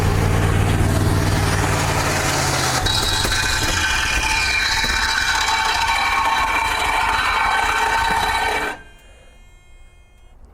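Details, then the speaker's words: Old auction dump truck; runs rough and loud, harsh high screech rises then engine abruptly stalls, followed by belt or clutch smell and smoke, owner fears lockup; screech then stall, cause unconfirmed. "I ran really good before it made that awful, awful noise. Oh, this is really bad."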